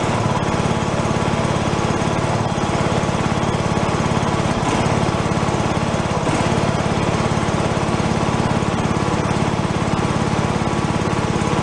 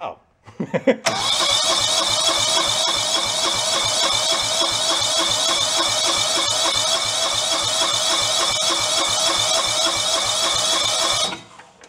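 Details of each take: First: Free John Deere lawn tractor revived, running on choke as fuel comes up: small engine holding a fast, even beat at steady speed, no surging or misses; normal running. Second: Free John Deere lawn tractor left sitting outdoors, water found in the gas tank: ten seconds of hissy, uneven cranking with ragged sputters about three per second, never catching; owner suspects stuck carburetor or fuel pump diaphragms, not fuel level.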